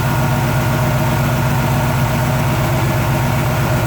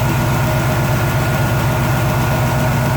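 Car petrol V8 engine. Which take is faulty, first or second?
second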